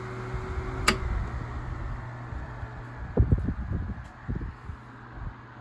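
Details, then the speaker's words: Tatung 12-inch oscillating fan LC-12, heavily used and dusty, running with a distinct, steady whirring motor hum and a few light handling clicks. The fan is otherwise near-silent and runs smoothly. "so it has that really distinct whirring sound kind of similar to the galaxy fans"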